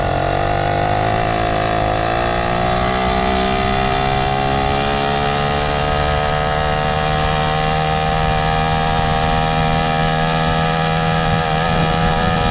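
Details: Mildly ported motorized bicycle two-stroke engine after fitting BikeBerry HP carburetor and F2 Thruster expansion pipe: loud crisp buzz rising smoothly to a steady note, no stumbles; normal running.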